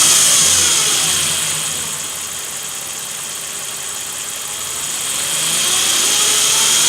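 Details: 2007 Nissan Frontier V6 running with a thin, high whine that dips and then climbs with revs; came on suddenly, matches Nissan bulletin NTB09-128; dealer repair needed.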